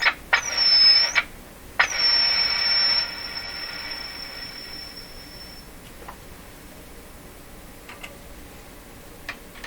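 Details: Philco 38-C7 tube radio during RF alignment check, antenna removed, signal generator connected, voltmeter ground reattached: high steady whistle starts abruptly, cuts out, returns and fades with faint clicks; self-oscillation, cause uncertain.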